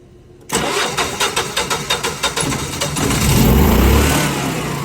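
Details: Generac standby generator with flashing red indicator lights and an aging battery. The battery reads 13.97 V when charged, yet the starter turns over sluggishly at about three labored beats a second before firing: slow cranking, likely from a weak battery rather than the starter.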